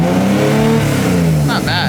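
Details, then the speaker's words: BMW E30 with swapped S52 engine, S54 individual throttle bodies, tuned on ethanol, new over-centering throttle linkage, first start before warm-up: revs rise gradually and smoothly under partial throttle instead of jumping instantly to 4000 rpm as before; smooth controllable revving. "now i heard i heard you rev it like nice and slowly up you can ease into it"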